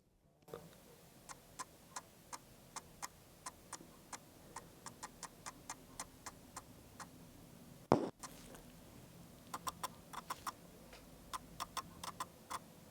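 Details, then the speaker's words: 7Artisans 50mm f/1.8 AF lens on Sony full-frame E-mount, smooth declicked aperture ring turned from f/1.8 to 2.8: sharp, separate, fairly loud ticks, one per stop, in a quiet room, as the aperture blades step instead of moving smoothly. "But what I'm trying to show you is that when you move the aperture from 1.8 to 2 to 2.2 to 2.6 to 2.8, the aperture ring is actually moving. And when it's moving, it's making a noise. And it's pretty loud."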